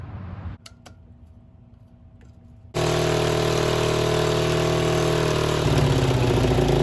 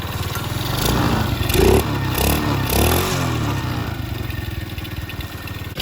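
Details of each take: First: 50cc Chinese mini ATV revival fitted with a throttle cable from an old Yamaha three-wheeler, idle set high. It catches and runs with a fast buzzy beat that wavers as revs shift; it runs but not cleanly and leaks a lot of fuel. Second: 50cc Chinese mini ATV after reassembly, carb seal soaked in PB Blaster and refitted, muffler back on. The small single buzzes and revs in quick blips with an even, muted exhaust and no leak puffing; it is much quieter and running normally.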